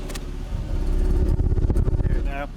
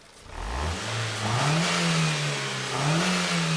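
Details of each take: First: 2002 Ford Focus 1.4 petrol with P0304 and P0420 codes, revved: uneven, stumbling, choppy note with blue-white, bad-smelling exhaust smoke. Misfire on cylinder 4. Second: 2002 Ford Focus 1.4 petrol with codes P0304 (cylinder 4 misfire) and P0420, after the fix: engine picks up cleanly through three quick blips and drops back smoothly, no stumble; sounds far better.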